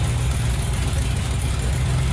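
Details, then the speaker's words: 1928 hot rod at idle on a quarter tank of last year's gas, running rich, charging at 14.5 V; low, heavy idle wavers and sags, barely hanging on and wanting to die. Stale fuel suspected but not confirmed. "You got it idle down. Maybe it won't die. Kind of wants to."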